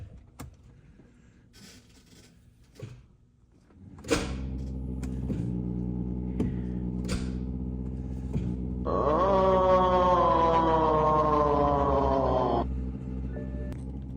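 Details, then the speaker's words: BMW E90, unknown history, after starter replacement, start attempt: starter clicks and whirs with rising whine for several seconds but engine never turns over; owner suspects seized engine. "well as you can see uh totally didn't start uh I can hear the starter engage however it doesn't actually turn over so probably Vengeance seized"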